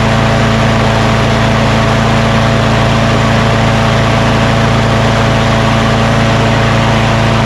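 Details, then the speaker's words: Craftsman push mower with Quantum single-cylinder engine, after rpm adjustment: smooth, constant hum at moderate speed with no surging or rattles. Normal running speed; it was too high before. "so she now that sounds much better before it was just too high"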